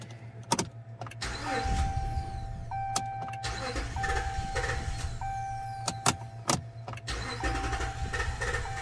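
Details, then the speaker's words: 2021 Ram 1500 5.7L Hemi with misfire, surging and won't idle, cranking in clear flood mode: uneven galloping crank, one beat per turn lighter; no compression at all in cylinder number one. "there's no compression in that number one cylinder like at all"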